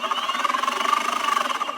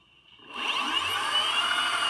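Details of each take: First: Boosted Board 2: fast even clicking, about fourteen per second, over the drive motor whine, persisting with wheel drive refitted and seemingly from inside the motor; manufacturer suspects a faulty motor bearing. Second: Boosted Board 2 motor spun unloaded with the wheel off: a smooth, high electric whir with no clicking; the board's clicking is believed to come from a faulty bearing inside the motor.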